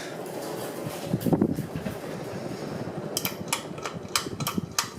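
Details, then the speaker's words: c.1986 Homestead Wind I 52-inch three-blade ceiling fan: a steady airy whoosh with a soft low hum and a few light clicks, running evenly and moving good air; normal operation. "this thing sounds like an industrial with three blades it's moving pretty good air too"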